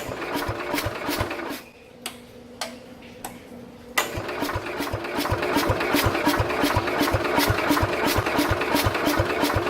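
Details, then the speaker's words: 1969 Bolens 850 tractor, Wisconsin S8D engine, unused 3+ years, battery charger on, little throttle and choke: slow rhythmic cranking about three beats a second with huffing exhaust, no firing; owner suspects very low compression. "Sounds like it's kind of trying to do something, but it's either got like so little compression in it that it can't properly fire or something."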